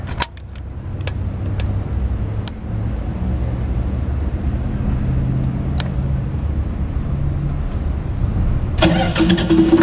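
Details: ZAKKA KDE-60KVA3 diesel generator, Ford engine, two-phase, powering a welder: cranks, catches and settles into steady even diesel drone that holds under load; normal running under load.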